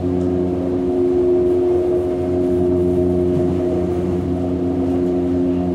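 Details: Hamburg U-Bahn DT5 train 343-1 braking: loud steady electric hum with several fixed tones under rail noise; worn traction motors suspected, not confirmed.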